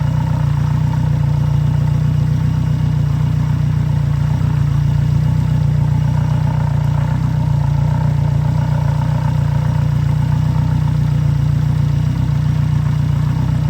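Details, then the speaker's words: 2014 Yamaha F115 outboard, 1024 hours, first start on grass right after a timing belt replacement: steady, even idle with a smooth low drone and no knocks or misses, a neighbour's mower in the background; normal idle. "Malheureusement, nous avons la tondeuse d'un voisin en arrière-plan, mais nous procédons au démarrage du moteur."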